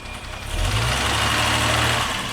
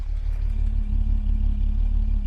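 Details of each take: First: 1975 Jaguar XJ6 straight-six, warm idle after K-Seal head gasket treatment for coolant leak into cylinder 2: light quick tappet ticking due to way too thin flushing oil, oil pressure about 30 psi instead of 40. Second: 1975 Jaguar XJ6 six idling about 12 minutes after K-Seal treatment for a cylinder 2 head gasket leak, hot day, correct temperature: low, even rumble, no miss; plugs sooty, belt squeal still present; running really great.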